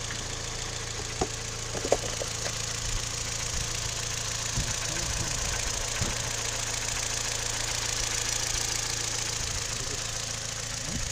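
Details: Toyota 3ZR-FAE with CVT, fully warm idle: light, somewhat uneven tapping about three knocks a second, heard only when warm and quickening when the brake pedal is pressed; knock, cause unclear.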